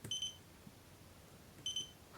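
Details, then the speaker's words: DM40C 3-in-1 multimeter in diode test: high clear double beep marking a fast diode with lower threshold, versus one beep for a normal 0.6 V diode (1N4148) and three for about 1 V. "Un diodo veloce, quindi con una soglia più bassa gli fa"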